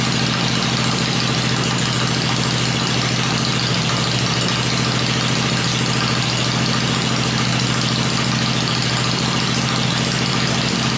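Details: Freshly rebuilt 96-inch engine with Edelbrock heads, running on an engine stand before going into the bike, idles with a loud, steady, even lope of about 3.5 pulses a second. The stand shakes at lower revs. Normal idle.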